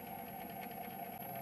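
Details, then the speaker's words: PC power supply fan at startup: loud steady buzzing hum from a dry bearing; lubricating the bearing makes it nearly silent. "比如像这个电脑电源就有这种问题，声音大嗡响，我们来试一下。"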